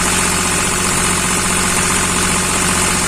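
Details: Hyundai Xcent diesel with Delphi injection idling: harsh rattling engine knock and slightly uneven beat, diagnosed as low fuel pressure and misfire from a faulty injector.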